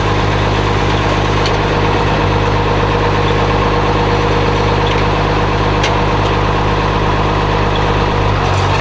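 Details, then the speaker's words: 856 diesel tractor at farm auction, takes all gears; steady, even diesel rumble at constant speed, no knocks or misses, outdoors; normal running. "that's good good sounding tractor 856 runs sounds good takes all gears"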